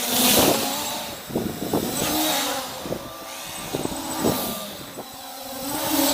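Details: MJX Bugs 3 RC quadcopter with cameras removed, running on a two-cell battery: steady buzzing motor whine rising and falling smoothly with throttle, no rattle or stutter; motors running healthy.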